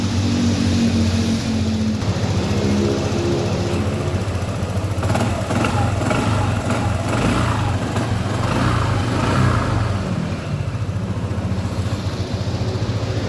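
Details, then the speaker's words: Honda ADV 150 that the owner says is hard to start after shutting off hot; restarted hot after 4 hours' continuous running, battery at 12.3 V. Fires promptly and settles into a steady, even putter idle; healthy. "Well, I turned it off when the engine was hot after 4 hours without stopping the engine. Then let's try the starter."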